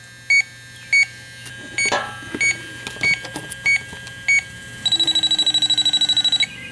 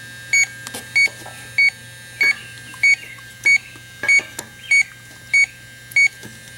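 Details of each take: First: 2005 Chrysler Town & Country, refrigerant leak detector on its highest setting at the patched 5/8" rear A/C suction line: spaced beeps, then a rapid steady chirp run, detecting only a very small trace leak; the patch is judged good. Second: 2005 Chrysler Town & Country rear A/C 5/8" suction line after a pinhole patch repair, electronic leak detector on its highest setting: steady slow beeps around 95 per minute that never speed up, so no leak is detected at the patch.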